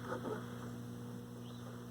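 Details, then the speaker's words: Estate-sale Lloyd's AM/FM all-transistor radio, model 7H13G (about 1970), powered on: steady low mains hum at constant pitch, worsening the longer it is left on; cause not confirmed. "the hum's getting worse the longer I leave it on so I guess let's take the back off and check out what we're getting into"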